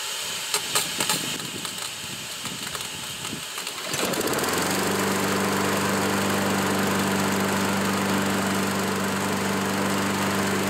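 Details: Curb-found self-propelled Craftsman mower after carburetor cleaning and reinstall; after some rattling the engine catches and holds a smooth, even drone with no stumbling or surging: normal running.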